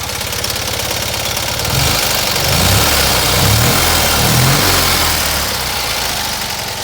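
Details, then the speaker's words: Fiat 126p twin started after sitting two months: two-cylinder thrum climbs and falls cleanly through throttle blips, no knock or misfire; very smooth, normal revving. "Give it a rev. You can see how it runs. Very, very smooth."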